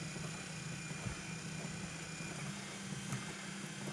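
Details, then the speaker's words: EPC RM400 speed control running its auger gear motor for calibration with a new bag of Solid King: steady low hum, faint even whir, no knocks or grinding; rate almost three pounds a minute, fluctuating slightly with the magnets. Normal running. "we can almost put three pounds a minute out a little over fluctuates a little bit with the with the magnets"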